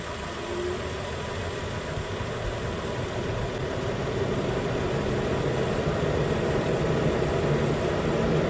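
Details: 2013 Nissan Pathfinder at 265k miles, idling right after replacing the AC compressor clutch and serpentine belt, cabin hot, about 80 degrees: new clutch clicks on, smooth steady idle hum rising slightly with compressor load, no squeal or rattle; normal idle.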